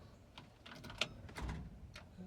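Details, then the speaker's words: 1972 Chevy C20 that sat for months, with a loosely wired electric fuel pump: a few faint, scattered sharp clicks with no cranking. The starter is clicking on a weak or dead battery, although the battery is apparently new. "i hear the clickety clack battery looks good i think that works i'm not really sure let's see nope man that one's dead too how in the world did that brandy battery go dead"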